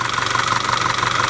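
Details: Audi 2.0 TFSI with knocking, oily cam adjuster and vacuum pump; quick, even ticking knock over the idle that keeps pace with engine speed; camshaft and rocker arms to be checked.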